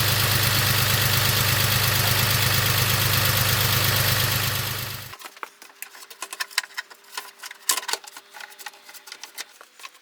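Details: BMW X5 with freshly rebuilt M54B30 inline-six, after a few heat cycles: smooth, even idle with a steady beat and no ticking or knocking for about five seconds before shutdown. Owner says it sounds pretty much perfect.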